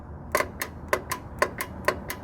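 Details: 2006 Chevy Trailblazer 4.2L with P0455 large evap leak code: sharp dry clicks, about seven in two seconds, as the vent solenoid control wire is grounded manually bypassing the PCM; evap vent valve snapping shut normally.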